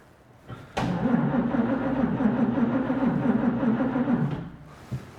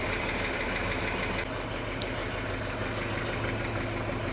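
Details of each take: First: 1941 Chevy on rebuilt Carter W-1 carburetor, cold garage, battery had been dead and charged; starter grinds sluggishly at three to four labored turns per second without catching: slow cranking, battery likely low. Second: 1941 Chevy on rebuilt Carter W-1 carburetor, cold, in neutral; steady low idle holding on its own, even slightly loose beat, no knocking, owner unsure accelerator pump works, intake suction heard: normal cold idle.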